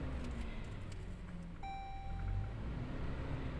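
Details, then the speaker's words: 2016 Toyota Hilux that cranked but would not start with code P1604. After clearing codes, it starts to a steady low rumble with a short beep and even idle; check light shows throttle pedal position circuit D; normal idle. "गाड़ी तो start हो गई है, अभी देखिए RPM ले रही है, बस चेक लाइट आ रही है, वो किस चीज़ की आ रही है फिर से देखते हैं।"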